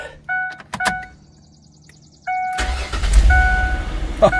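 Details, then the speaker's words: 2006 Ford Freestar after new spark plugs, Motorcraft plug wires and ignition module, hot 90°F day: warning chimes, brief crank, catches at once into steady, even idle without misfire; normal start and idle. "Man, purr like a kitten. What are you talking about? Purring like a kitten. That's awesome."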